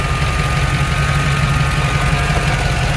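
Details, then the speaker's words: 1987 Chevy K5 Blazer 4x4 with a 305 V8, TBI and manual transmission stalls when warm at stops and low-speed turns. It has a low, uneven, lumpy idle that wants to stall under any load. No codes; it reads lean in open loop. "Put any load on this thing, it wants to stall."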